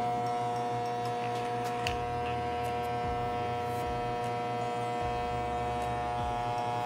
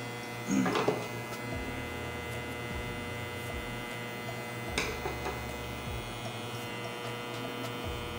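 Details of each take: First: Hair clipper after repair of the cord ground connection that made it cut out when the cable moved: a steady, even electric buzz with no stutter or cut-outs across the whole run; the motor is running normally. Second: Hair clipper that turns on and off when the cable is moved, connector seems loose: low motor buzz over a steady hum dropping out and returning every second or two; suspected loose connection, not confirmed.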